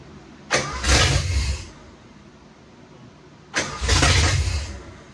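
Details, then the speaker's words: 1986 Ford F150 first start attempts in over 20 years after installing a third starter: two short cranks, each a growl and whir lingering about a second as the engine tries to catch, starter staying engaged (hanging) due to a faulty starter solenoid; timing also needs tweaking. "the starter started to hang well that's because a faulty star solenoid shocker"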